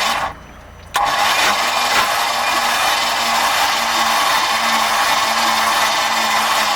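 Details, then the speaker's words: Mercruiser V8, hydrolocked from improper winterization, bumped over slowly with plugs out: starter spins freely with hissing, spitting rush, brown water expelled. Not seized; probable internal damage. "so the motor's not locked up but the motor would not turn over because all the cylinders were hydra locked"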